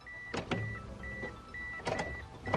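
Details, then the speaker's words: Mitsubishi Eclipse (2G) after fuel filter replacement, key turned on several times to check for leaks: short steady whir repeating with each key turn between clicks; normal fuel pump priming, though a fuel leak was found at the large fitting afterward. "What I'm going to do now is just get in the car, turn the key a few times, and be sure that it is not leaking gas. So just hear the noise."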